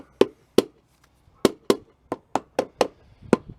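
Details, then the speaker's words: Tire/wheel assembly with the lock ring seated and the tire at 25 psi; tapping the ring gives sharp, solid knocks, about three a second, like knocking on a tree trunk, with no rattle or buzz; the lock ring is seated properly. "all right so i have 25 pounds of pressure in this tire and we're going to knock on the ring you'll hear it sound like knocking on a tree trunk solid"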